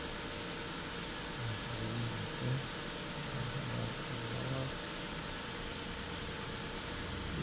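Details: 2008 Hyundai Santa Fe under misfire diagnosis, cold start at 39 °C coolant: engine idles evenly under background hiss, no stumbles or skips in the beat; normal idle.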